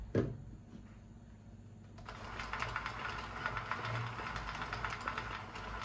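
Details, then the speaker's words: Centro 22- or 48-needle knitting machine cranked after oiling with Singer machine oil: an even light patter of small ticks, no grinding or binding, running more quietly after lubrication. "Bakın daha sessiz çalışmaya başladı. Ama bunu en çok ipi taktığınızda hissedeceksiniz bu farkı."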